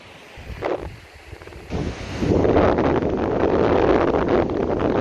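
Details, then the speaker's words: PS3 Slim cooling fan, left microphone, demonstrating air noise as opposed to bearing noise; after a brief handling bump, a steady even rush of air with no bearing tick or rattle, normal fan airflow noise. "just take care and try to hear just the sound from the bearing, not from the air. Okay, because you can hear the bearing and you can hear the air, of course."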